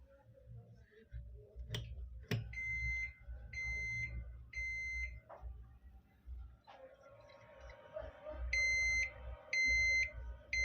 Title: my old model pc #how to repair 3 Times buzzer sound problem